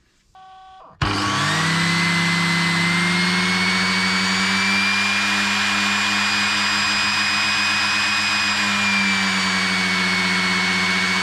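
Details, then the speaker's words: Aqualisa Digital Shower loft pump after fitting a replacement for the old pump, which had failed windings and buzzed, ran erratically and overheated: a smooth, steady motor hum with a clean, even whine and no rattle. The pump spins freely and faster, working normally. "okay so that sounds like it's spinning properly and it's spinning much faster as well"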